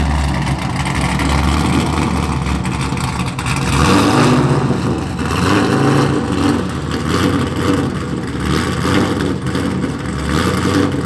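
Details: Mazda FD RX-7 with rebuilt 2002 LS6 V8, Trick Flow cam, essentially straight-piped exhaust; loud, choppy cam lope through open pipes, revs swelling and dropping smoothly, strong. Normal running, straight-pipe exhaust.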